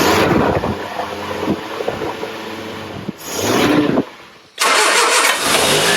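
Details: Triumph Herald 13/60 with freshly rebuilt Spitfire-spec engine, first start on choke after ignition timing correction: cranks, catches and stumbles, briefly quiets, then fires and settles into a rough but running idle; exhaust leak and rear core plug water leak noted.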